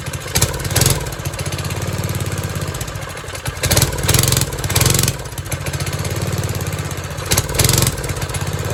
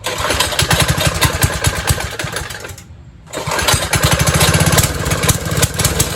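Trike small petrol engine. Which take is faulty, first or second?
second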